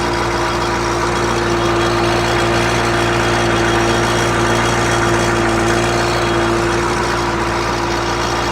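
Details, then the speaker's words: GM 6.2/6.5 diesel (CUCV truck) at idle: steady idle about 3.5 beats per second with a buzzy rattle, a different hum; owner suspects a loose right-angle bracket from the power steering pump to the block and expects tightening it will fix it. "there's a little right angle it's a different hum there's a right angle bracket that bracket gets loose sometimes I'll bet if I tighten that bracket up that'll be the end of that"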